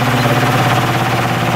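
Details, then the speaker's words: Repaired spare plastic Marco motor with blade from vintage Lasko/Galaxy box fan, running on high: steady mid-pitched hum, no rattles or scraping; draws 1.92 A (rated 2.2 A, within spec), 153 W; normal running. "So there it is, running on high, and we're pulling 1.92 amps. These are rated at 2.2 amps, so it's within its specification, and 153 watts"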